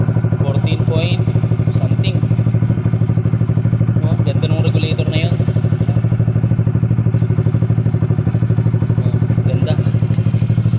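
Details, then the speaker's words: Honda RS150/Sonic150 after a shorted, smoking negative terminal and blown fuse, with a new Honda Thailand regulator/rectifier fitted; engine now starts and idles steadily at about three beats a second, no misses. "Papalitan ko pa yung tambutso nian E ayan na umaandar na siya okay na yung rs"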